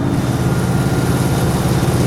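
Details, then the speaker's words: Fire engine pump floor test at 100 psi, circulating water from the tank back to the tank: heavy engine drone with a rough, gravelly rattle. The pump is cavitating from over-pumping the supply, since the tank intake is bigger than the return. "noise that sounds like gravel is cavitation we'll be talking about that later in the program we have talked about it already we're over we're over pumping our supply"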